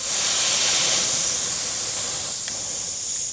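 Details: Smittybilt 5.65 CFM air compressor, four years old, in cold weather with the hose attached: continuous sharp hiss of escaping air that never pulses or fades; leak at the connection, not the valve.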